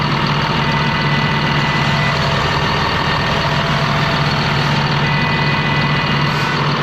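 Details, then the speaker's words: Ex-US Army Cat D6R bulldozer, low hours, revived from inoperative: steady, even diesel clatter at constant idle with no knocks or misfires; zero blow-by, though hydraulic leaks were found and it was shut off to fix them. Engine sounds healthy. "She sounds good. Sounds real good."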